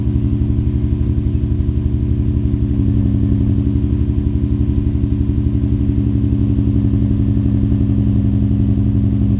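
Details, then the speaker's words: Infiniti G35 / Nissan 350Z V6 with newly installed ISR single exhaust: sharp, even chuffing at each firing pulse at idle from exhaust leaks after the extension and at an under-tightened bolt joint. "I do have exhaust leaks though. So I'm gonna get that worked out right now."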